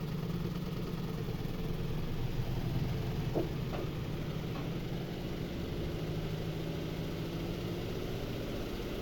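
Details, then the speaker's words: Twin-tub washing machine spin tub after the loose screw was retightened and tapped with a hammer: steady, low, even hum with no knocking or rubbing; the tub now spins balanced, the earlier noise gone. "como pudieron ver pues ya se mantuvo el equilibrio de nuestra tina de nuestra secadora ya seca bien ya no hace ese ruido"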